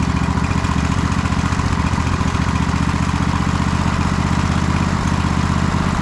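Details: MTD White Outdoor GT2550 garden tractor with a 25hp Briggs & Stratton V-twin, at first start-up. Fast, uneven put-put idle that drifts high and low and wants to stall. This is idle hunting attributed to a dirty carburettor, possibly run on choke.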